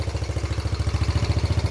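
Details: Freshly rebuilt, nearly 40-year-old Yamaha YFM80 Badger single-cylinder quad on first heat cycle, idle turned up: crisp regular thump, steady, no rattles, slight smoke from muffler paint burning off; valves much quieter – normal idle.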